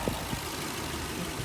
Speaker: sounds sounds good I don't hear any abnormal noise coming from the bottom end or coffin I just hear fuel injectors again on the video it's get sound a little bit louder than what it actually is but again nothing that really caught my attention